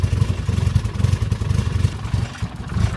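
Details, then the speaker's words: Nissan R34 Skyline, freshly rebuilt RB25DET, first start on the tuner's remote base map after a fix: low uneven chuffing and sputtering over the starter, firing irregularly and never settling into idle; hard start, then stalls. "Barely. Come on. Just caught it as you shut off."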